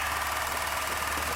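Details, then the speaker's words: 1990 Chevrolet Silverado 4.3L V6 that sat about a year, first runs after fuel tank work and timing setup: fast, light, even ticking over steady idle, owner suspects clicking injectors and plans injector cleaner. "those injectors going clicky clack okay we'll have to run some uh injector cleaner through there"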